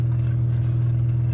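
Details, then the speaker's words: LG front load washer WM3370HWA/01 not draining, during drain cycle: steady low hum with fine fast rattle throughout from drain pump; pump found rattling and replaced. "that is making like a rattling a noise"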